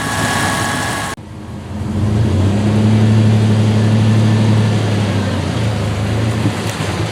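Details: 1996 Dodge Dakota 3.9L V6 on road test after fan clutch replacement, cold outside; steady low engine drone, mild hum, no fan roar as the new clutch slips; normal running with fan clutch disengaged.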